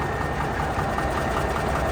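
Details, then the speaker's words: 1985 Freightliner cabover diesel at steady idle after overheating on a fully loaded hill climb and taking about four gallons of water: rough, rapid clatter, more rattly than ever before but not a knock; new blow-by noted, cause unknown. "one thing that's been different is the truck almost it sounds a little more clattery than it ever did before I don't know if you can pick it up here it's not real bad like not like an engine knock or anything"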